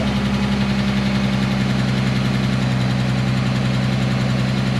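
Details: 2010 Dodge Charger 3.5L V6, just after the first start following timing belt, water pump and thermostat replacement: even, steady idle with a smooth low drone and no knock or tick. It sounds healthy.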